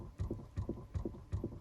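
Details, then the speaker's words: 2018 Chrysler Pacifica, engine off: steady soft flapping about 2.5 times a second from the passenger dash directly behind the glove box. A failing recirculation door actuator motor flaps the door; it needs replacement. "And again, we have a constant flapping sound coming from inside the passenger dash, basically directly behind the glove box."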